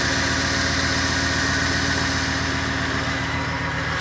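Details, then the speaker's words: Freshly rebuilt 2007 Ford 5.4L 3V V8 with new lash adjusters and roller followers, first start, warming toward operating temperature, fan and shroud off: steady, even idle, smooth low rumble, no valvetrain ticking; sounds like new, about 70 psi oil pressure. "i can tell you because i've had this truck for three years i can tell you that sounds good sounds real good sounds like it did when i first bought it"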